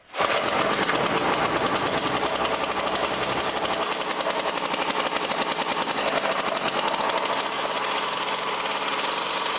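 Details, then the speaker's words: Poulan Pro Model 117 two-stroke trimmer on premix, stored about 3 years, after tune-up: fast, steady buzz that never drops to slow idle, backing off the idle screw barely helps; high idle, possibly from the throttle cable sheath binding and holding the throttle open. "Well, the idle speed seems to be way up there and somewhat stuck. I backed off the screw, but that didn't seem to affect it in any great manner. Might have something to do with the throttle control."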